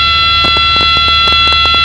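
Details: Training aircraft in flight, stall demo with power reduced to 2200 RPM, nose held: loud, steady high-pitched stall warning horn holds continuously over cabin noise as the wing stalls, then nose lowered for recovery.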